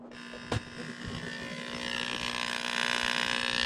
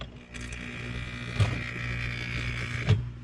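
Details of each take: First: Aquarium pump found switched off, plugged back in; steady electric buzz with a faint rattle and no sound of air moving, still getting power but not pushing air out; air pump buzzing with no air output, pump bad. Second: Snail-aquarium water pump after repair by bending its small magnet bar: smooth, steady low hum from the vibrating diaphragm with a couple of handling clicks; the pump now runs properly.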